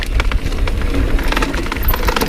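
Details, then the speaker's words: Mountain bike (NS Snabb trail) in the smallest cassette cog: quick irregular hollow clacks as the top of the derailleur jockey-wheel cage strikes the back of the chainstay from vibration, clutch on or off. Derailleur cage striking chainstay. "so when i'm in the smallest cog in the cassette that's where the derailleur is actually contacting the swing out so through the vibrations whether the clutch is on or not that's where the rattle is coming from"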